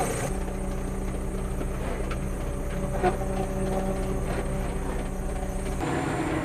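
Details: Bomag BW211D roller diesel at steady high idle, even drone with no knocks or misses. Oil pressure measured 5–7 kg, so the low oil pressure warning was traced to a faulty pressure switch.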